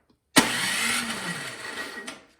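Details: Craftsman snowblower with spark confirmed and gas in tank: electric starter spins the engine under two seconds with no firing or catch; cranks but won't start due to a fuel issue.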